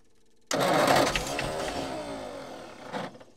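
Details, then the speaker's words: Old petrol Bedford tip truck (owner guesses early 60s–mid 70s), sat 10+ years, cranking with an extra earth on the starter braid. No quicker: sluggish, laboured crank for about two and a half seconds, weak starter, never fires. Owner suspects a lazy, probably Lucas, starter or bad earths. "I'm just going to try this and see if it spins over quicker. No quicker at all."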